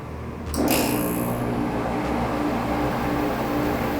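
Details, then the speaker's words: Old portable air conditioner whose compressor capacitor had blown, compressor starting after repair: a click, then a steady low hum that holds even without straining; compressor running normally, evaporator soon icing up. "right, compressor kicked on. It's even got the light lit, and it sounds like everything's working."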